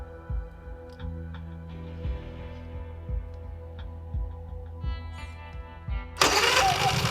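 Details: Honda EU3000iS generator with a newly installed wireless remote start system: faint thumps under music, then it cranks and catches in about a second and settles into a steady run; normal start.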